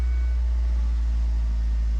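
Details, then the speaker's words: Four-cylinder petrol engine at warm-up idle after IAC valve and intake manifold gasket replacement: steady even low rumble running on all four cylinders, no misfire; some smoke seen, possible residual oil. "Yeah. Harry, good to go. Running on all four. Nice warm-up idle."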